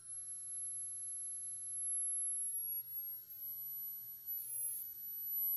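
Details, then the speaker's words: 1963 Montgomery Wards Airline Imperial console TV, Wells-Gardner WG-5974A line-operated chassis, no H/V and squealing: faint steady high-pitched whine while adjusting the oscillator coil; horizontal oscillator way off frequency, tubes check good. "here's our high voltage why is it so loud should be faster than"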